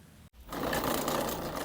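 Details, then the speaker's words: Crosser CR1 electric scooter with over 2,000 km, new controller fitted after the old one burned out; mismatched phase and hall sensor wiring makes the hub motor hum, then buzz and howl harshly instead of spinning smoothly. "Вот он уже поехал, но мы слышим, что работа некорректная у него, то есть он гудит, воит."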